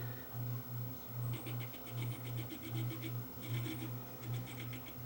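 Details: Akai 4000DS MK2 reel-to-reel before repair: playback pulses and wobbles about 77 times a minute, low tone swelling unevenly; severe flutter.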